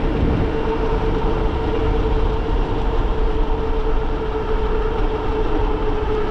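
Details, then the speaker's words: E-bike with Bafang G900 750W hub motor, Flipsky 75100 controller, 52V 14s2p battery at 25A, climbing a hill: steady mid-pitched motor whine over wind and road rumble; motor getting noisy and hot under load. "You start hearing the motor making kind of noisy. Just pedal a little bit and you can kind of maintain your speed. Ooh, motor's getting hot, bud."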